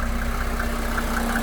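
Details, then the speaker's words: 1987 Mercedes 300SDL W126 OM603 diesel after a diesel purge and bleeding air from fuel lines: steady, even clatter at idle with no hunting or stumble; sounds much better, healthy. "But definitely sounds much better. I'm gonna leave it running for a bit, check for leaks, and if there are no leaks, I'll go and take it for a test drive and see if it feels a little peppy."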